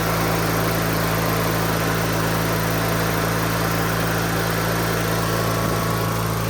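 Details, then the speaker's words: 2003 Craftsman (AYP) DYT4000 lawn tractor (hydro, electric PTO, GT5000 hood), charging positive; smooth, steady low drone, even beat, no misfires or hunting. Normal running. "Runs good though. Starts right up. I might need choke now. Let's see. Runs strong."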